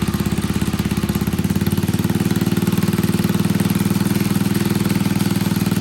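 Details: Old Troy-Bilt Pony rototiller on a temporary battery, running on fresh gas: steady, even putt-putt of about three beats a second at idle, no misses or knocks; runs fine.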